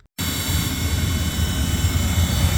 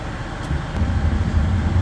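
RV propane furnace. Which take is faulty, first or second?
first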